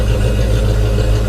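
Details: 1991 Ford Foxbody Mustang 5.0 LX V8, after winter storage since October and a battery swap, warming up in the 30s °F; recorded at the tailpipe, deep steady smooth burble, no misses or ticks, healthy idle.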